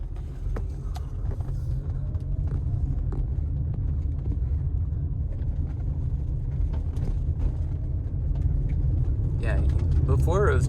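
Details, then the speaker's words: 2016 Toyota RAV4 Hybrid XLE after replacing front stabilizer bar bushings, driven over rough driveway and road: low even road rumble with no knocks or clunks over bumps; the earlier front suspension clunk is gone. "I don't think I hear the clunk anymore wait let's no clunk no clunk wow wow amazing"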